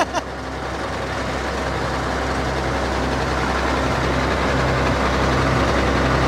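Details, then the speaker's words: Apprentice 210D log loader diesel with about 91.72 hours, hydraulic fluid unchecked: steady, even idle with low throb, no knocks or misses; engine sounds healthy. "it sounds great though what's that engine sounds good"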